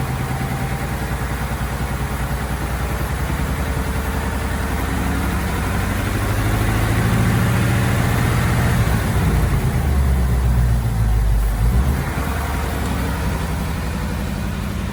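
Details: 2018 Ford Mustang GT V8, after 15W-50 oil plus Ceratec additive, idling: deep even burble with slight rise and fall and no tick; the engine tick is completely gone.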